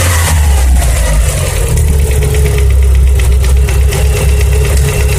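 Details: Mitsubishi EVO 4G63 engine: a light, quick ticking rides over the engine through a rev and back down to idle, a valvetrain tap traced to the cylinder 1 intake side.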